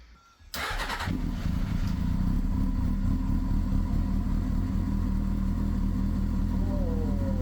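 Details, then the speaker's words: 1999 Honda Hornet 600 running for the first time after a zener diode and resistor were wired into the anti-hotwire pink wire to cure a no-spark fault; it fires first try and settles into a smooth, even, low idle with no misses or knocks. "Oh man, I'm so happy. It's first time we've had it running if you can't tell."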